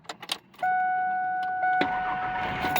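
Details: 2002 Ford F150 with a manual clutch after a starter replacement: keys rattle, a chime sounds, then a quick crank and a clean first-try start. Starter working normally.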